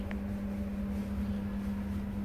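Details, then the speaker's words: British Gas 29 CC1 boiler showing C1 fan fault, power confirmed at fan plug: only a low steady pump hum, no fan whoosh on start-up; fan has failed. "there you forgot power there then it's the fan what's gone"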